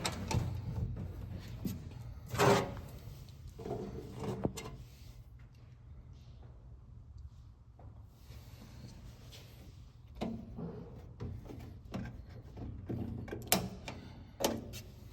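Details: Cowboy e-bike cargo bed pushed by hand: scattered light clunks and rattles with quiet gaps between; after a fix the noise is reduced about 60–70% but still heard when pushed hard.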